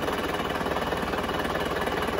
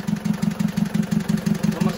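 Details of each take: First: Diesel car engine rebuilt but still complained of running very rough, idling with all injectors connected, before pulling injector one: steady even clatter with no stumble or harsh knock, not missing, not rough; normal diesel idle. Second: Diesel engine still running rough after an engine overhaul. Lumpy, heavy, uneven idle ("tek tek tek"). Loosening each injector line in turn, cylinder 2 gives no change; its nozzle is removed to check the spray pattern. Misfire on cylinder 2.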